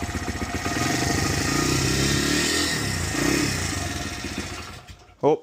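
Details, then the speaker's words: 2006 Honda CRF100F single-cylinder after tightening loose timing gear bolts that caused loud clicking, started with choke after months of sitting: steady, even idle with no ticking or clicking, then cuts out; sounds healthy. "But yeah, guys, no more clicking noises. Perfect."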